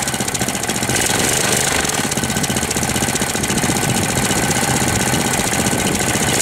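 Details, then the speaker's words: 1998 Briggs & Stratton 6 hp Intek Edge 60, first start after long storage, oil changed and leaks fixed, air filter off, not yet warm: runs loud and rough with a hard, uneven rapping about four times a second; owner fears seizing despite correct oil level. "Bizarre le bruit qu'il fait. On dirait qu'il va serrer."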